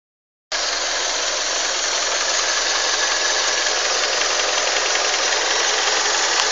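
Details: Honda CR-V engine at idle: steady idle with a fast light knocking about three or four a second through the engine note; knock of undetermined source.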